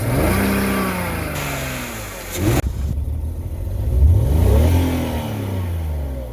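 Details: BMW 330Ci at idle: the engine note rises and falls unevenly with a loose, lumpy beat of about four pulses a second; the idle is hunting and rough.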